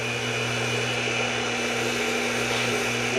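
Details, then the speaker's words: AC electric motor after repairing a broken rotating starter switch, running at high speed: smooth steady hum with a constant high whine, no knocking, rubbing or rattling; motor sounds healthy. "And let's see what uh highspeed sounds like. Man, it sound good for a moment."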